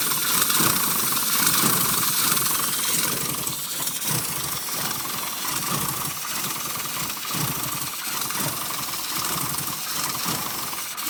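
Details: Rover Mini SPi small petrol engine idling unevenly, sputtering in irregular pulses over a strong hiss and dying when revved; cause was a bad crankshaft position sensor, not drivable until replaced.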